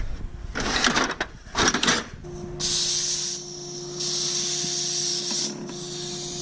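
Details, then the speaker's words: Jeep XJ tire being filled: after handling knocks, a steady sharp hiss pulses on and off as air leaks from the valve stem, suspected loose; tightened and capped. "Sounds like it's leaking out of the valve stem. See if I can tighten that up. Maybe it came loose."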